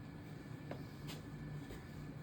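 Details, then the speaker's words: EV electric powertrain demo motor under dSPACE voltage-per-hertz control, with frequency and voltage increased to raise speed: low hum with a steady high electrical tone as the unloaded motor speeds up; normal, smooth run-up. "So basically, as in simulation, the speed is depend on the frequency. Changing the frequency, but this is an overload control. So changing the frequency will change basically the speed."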